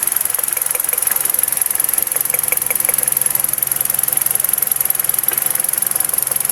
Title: BAD IGNITION COIL | MISFIRE #automobile #diy